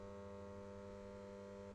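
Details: NEMA 23 8-wire stepper motor (Anaheim 23Y206S-LW8) on an MBC25161 microstep driver, Arduino Mega-controlled, clock rate changed to 5: steady multi-pitched electric hum holds even, then cuts out; normal stepper motor running.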